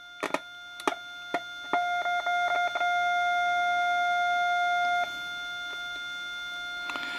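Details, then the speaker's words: Heathkit T3 signal tracer: the test tone is loud and clear at the tube grid but much quieter at the tube output, so the tube stage gives no gain. Weak output from the tube amplifier stage. "so that's a good sign right there the tube is not amplifying now we're going to find the reason out for that"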